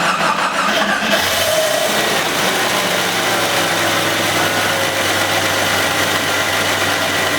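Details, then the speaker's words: 1990 Jeep Cherokee XJ with a fuel no-start, run on ether; the oil pump is suspected. Engine catches and settles into idle with a thin steady whine from the front. The owner suspects a pulley bearing; injectors are leaking onto the exhaust. "now so it doesn't sound great and there's still a little bit of a whine from the front it sounds like maybe it could be one of the bearings on one of the pulley"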